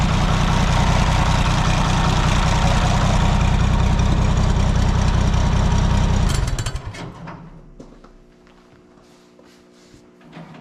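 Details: Oliver 77 tractor on a cold snowy day, freshly filed points, no choke as it seemed flooded: heavy steady low thump about 3.5 beats a second for six seconds, then fades and stalls. Owner suspects insufficient fuel, perhaps fuel frozen; unconfirmed.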